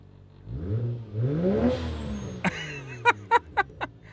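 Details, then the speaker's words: Lexus SC300 with 1JZ-GTE turbo engine, slightly warmed up: one smooth rev rise and fall with no stumble or misfire, then sharp pops and the blow-off valve as it settles. It revs really cleanly. "it revs clean though revs really really clean"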